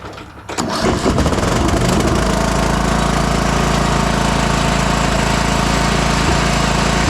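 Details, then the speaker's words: 2004 MTD Yard Machines Gold lawn tractor engine after sitting weeks or months: labored cranking catches into a rough, lumpy, wet-sounding run, then it fills with smoke. Fuel has flooded into the engine and it is partly hydrolocking. "it's uh hydrolocking a bit this thing the the fuel just flooded into the engine as it sat for several weeks or months whatever it was um so there's way too much liquid in this engine"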